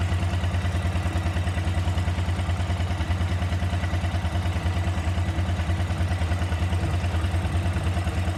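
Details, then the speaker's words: KTM 950 carbureted twin idling warmed up, before carb sync: steady, slightly uneven low thump with some top-end clatter; unequal airflow readings show the carburetors are not balanced. "so since we didn't have equal airflow readings that means the carburetors are not balanced"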